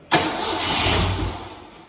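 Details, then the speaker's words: Engine on "the fox" starting right after intake re-gasketing, with carb, water pump, fan and belt refitted; it was not primed with gas or starter fluid. Short crank, catches at once, settles into a steady clean idle; normal start. "We didn't hit it with starter fluid. It just wants to run."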